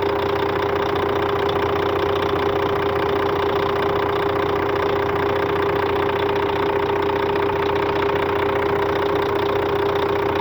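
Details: Scania K400 bus with the DC13 13-liter, 400 hp diesel at normal operating temperature, tested on the road. It holds a steady idle with a faint regular tapping and a constant high whistle. Abnormal engine noise, source still unknown.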